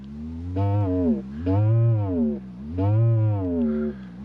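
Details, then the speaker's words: Fender Silverface Super Reverb's four parallel speakers driven by a function generator in a sweep from low frequency at low amplitude: low buzzy distorted tone in bursts, voice coil rub (cone cry), worst on the replacement speaker. "just to show you the cone cry we call it uh voice coil rub essentially so we're starting at zero Hertz low amplitude [Music] you can hear it sort of kicks in there"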